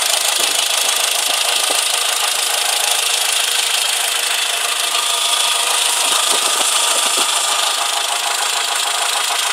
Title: Engine Knock